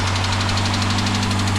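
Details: Retired police car, just started after the spark plugs were reinstalled and the fuel pump relay refitted: steady low idle drone with a faint regular pulsing suggesting a misfire; checking whether the misfire changes cylinders.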